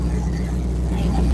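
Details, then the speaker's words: V8, gauge at 49, heard from outside: deep, lumpy idle with a steady uneven chop, no knocks or squeals; choppy idle, sounds healthy. "I love that chop sound it makes."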